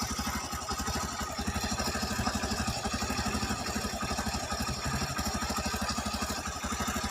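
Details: Honda CB110 single-cylinder engine idling after valve clearance adjustment, cover refitted: even, steady idle about three beats a second, no top-end tapping; quiet, healthy engine.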